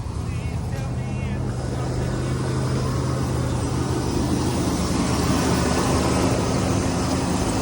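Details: OBS GMC Sierra HD dually big block, cold start after a new battery: wavering high squeal in the first seconds over a rough idle, then fading; belt squeal under the hood, source not yet identified.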